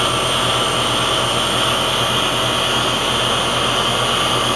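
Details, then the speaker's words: Heat pump in heat mode to bypass a suspected faulty TXV (in cooling it short-cycled, liquid about 150, suction about 130): steady fan and compressor rush with no knocks, rattles or cycling; normal heat pump operation. "we are running in heat bypassing the TXV and we have normal operation"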